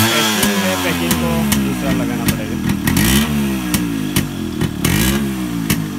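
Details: Yamaha RX100 two-stroke after a hard morning cold start following heavy rain: crisp popping climbs and falls with each throttle blip and settles back cleanly; running normally.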